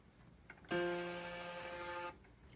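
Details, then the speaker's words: RockJam RJ761 keyboard, faulty out of the box with intermittent power and volume: held note sounds harsh, raspy and buzzy from the speaker. "that's crazy buzzing speaker sound"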